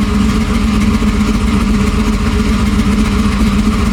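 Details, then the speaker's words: Car with problematic brand-new 4L60 transmission (to be swapped for another new one), check engine light on, temperature still good: deep lumpy cammed V8 idle, loping about once a second with steady exhaust rumble; engine sounds good. "Sound good though."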